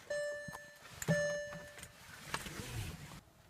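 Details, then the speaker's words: Used Porsche Cayenne 957 that suddenly would not start, no error messages: dash chimes, then one sharp click at the key and no cranking; starter relay clicks but nothing happens, starter solenoid failure. "it just does not crank it looks like a starter relay clicks but after that nothing happens"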